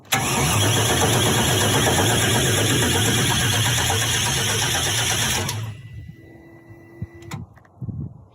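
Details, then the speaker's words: 1978 Volvo 242 with a 6.0 Chevy V8 swap, first crank with fuel after years: the starter turns it evenly for about five seconds but it never catches. Crank, no start; owner suspects no spark and injectors not firing, and smells gas. "it's missing something no I don't think it's getting spark and I also don't think that the injectors are kicking on because I smell gas"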